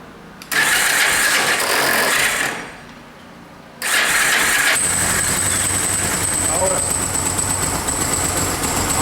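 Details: Cold Yamaha Special 250 classic carbureted bike, spark plug refitted and air filter checked, jump starter connected: two cranking attempts, second catches into a rough uneven run; hard cold start, suspected clogged carburetor jets.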